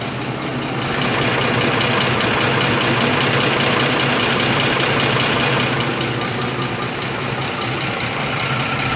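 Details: 2004 Ford F150 5.4 3V Triton V8, 104,000 miles, idling with steady diesel-like clatter ticking three to four times a second: worn cam phasers, before replacement with original Ford phasers; new VCT valves hadn't stopped it.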